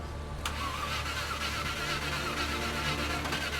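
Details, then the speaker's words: Land Rover Discovery 1 V8 being recommissioned, second start attempt: starter churns at an uneven, tired pace and engine never catches; owner unsure why it won't fire, suspects the starter. "I don't know why it's not firing properly don't get me wrong we will figure this out but not on this day"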